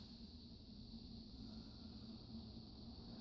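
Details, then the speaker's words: Strato-Fan 36-inch industrial ceiling fan, repainted brown, run on speed control: quiet steady whoosh and low hum, dry bearing noise gone, only a faint wet bearing murmur; normal running. "Little bit of like wet bearing noise now, but the dry bearing noise is all gone."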